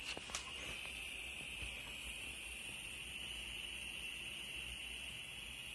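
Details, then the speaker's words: SEMP TV under revision: steady, very high-pitched whine over a fainter mid tone with no rhythm; owner suspects the flyback is making the noise, no visible leakage, possibly internal, may try resoldering; unconfirmed. "o que tá fazendo esse barulho é o flyback mas assim vazamento parece que não tem"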